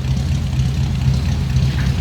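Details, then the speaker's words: 1948 Ford Super Deluxe Coupe flathead V8, odometer about 26,348 miles (originality unconfirmed), heard at the rear from the old dual exhaust: a smooth, deep, burbling rumble at steady idle with no knocks or misses; normal idle. "Old dual exhaust coming out of that flathead. A little bit of a rumble"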